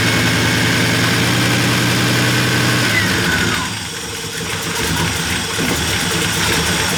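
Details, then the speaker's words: V8-swapped Ram 50 just after camshaft install, started before cooling system refitted: loud lumpy idle with even rhythmic loping after a brief blip; healthy normal idle. "back together and running. Sounds good, man. >> Yeah, it's it sounds pretty healthy."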